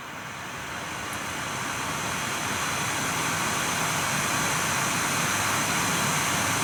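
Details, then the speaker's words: Nvidia GTX 980 reference blower card in a Dell XPS 8700, fan forced to 100% (in the 4,000 RPM range), microphone held right at the card: even airy rush building then steady, no ticking or bearing growl; normal fan noise at full speed. "Alright, so I'm going to jack it up to 100% for the fan, though, and show you how loud that gets."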